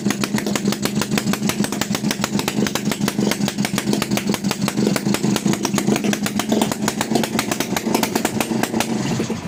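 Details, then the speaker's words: TVS XL Heavy Duty two-stroke moped, freshly rebuilt engine on extra oil in the fuel: rapid, slightly uneven popping exhaust beat with a wavering note; it runs rich, slows down and smokes more. "కొట్టు, oil ఎక్కువ పోసి ఈ విధంగా. ఇందాక చూసారా మనకి బండి slow అయింది. కొట్టు, చూసారా ఆటోమేటిక్గా పొగ అనేది ఎక్కువ అయిపోద్ది."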